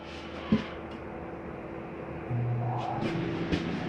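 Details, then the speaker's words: 2019 Grand Design Reflection 315RLTS roof air conditioner switched on at thermostat, inside about 49 degrees: steady low hum with fan whoosh once it kicks on, smooth, no rattling; normal running. "Over here's your thermostat. Let's turn on your AC."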